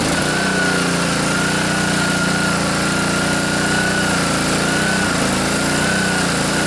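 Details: Honda GCV160 engine on a pressure washer after carburetor float bowl and main jet cleaning, water flowing, started on first pull with choke: steady even small-engine run, no surging or misses. Normal running.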